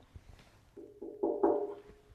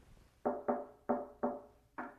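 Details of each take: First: Shop-made steel pedestal for a Dayton bench grinder, tapped before being filled with Great Stuff foam: each tap rings out as a clear mid-pitched bell tone that lingers. Hollow resonance needing damping. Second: Fabricated bell-shaped Dayton bench grinder pedestal after filling its inside with Great Stuff wide-gap foam, tapped: short dull knocks dying quickly with no tinny ring, solid and well damped versus the hollow sound before.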